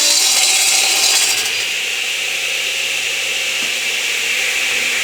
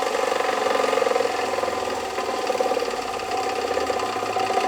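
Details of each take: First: Delta 12 in 33-892 radial arm saw with a negative-hook-angle blade crosscutting a board held to the fence and supported at both ends, arm not stiffened. A steady high blade whine with no snatch, bog or chatter; a smooth, controlled crosscut. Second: Radial arm saw motor running with the blade spinning. A steady hum carries a rough, fast rattling grit with no real letup, plus a little vibration; the motor bearings are worn and in rough shape.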